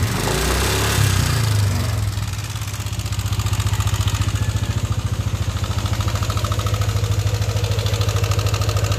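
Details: Yamaha NMAX version 1 scooter engine settling to idle with a rough, rapid ticking rattle on every beat, reported noisy and rough; camshaft bearing noise.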